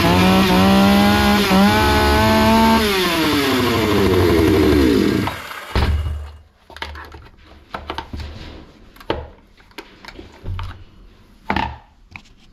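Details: Hyundai 650 two-stroke chainsaw after repair (fuel adjustment opened slightly after it was starving and stalling): crisp buzz revs up and falls back cleanly for about five seconds, then shuts off — normal running.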